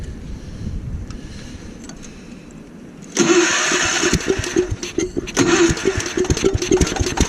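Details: Gravely Commercial 12 34" snow blower, cold, after carb cleaner: quiet fumbling, then a sudden sputtering burst of uneven pulses that stumbles. Hard starting; a shrunken carburettor fuel line was found afterwards.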